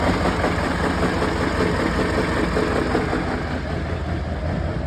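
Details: 6.6L Duramax diesel idling with a rough, uneven beat and loose knocking about two to three times a second, with smoke and one misfiring cylinder; cause unclear. Engine knock with misfire.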